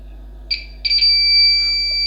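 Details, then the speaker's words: Buzzer on a computer power supply started without a motherboard (green and black wires shorted), switched from 5 V to the 12 V output; louder than at 5 V, shrill steady beep with no warble, normal operation. "අර සාමාන්‍ය සද්දෙට වඩා සද්ද වැඩි මේකේ."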